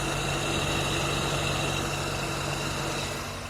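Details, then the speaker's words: Radiator fan, which had started whistling in heat near 40°C and was rusty from water and engine washing, runs after removal, repair and reassembly: steady even whir over idle, no rubbing or squeal. Slight play remains in the worn impeller hub. "поскольку нормально все нет посторонних шумов"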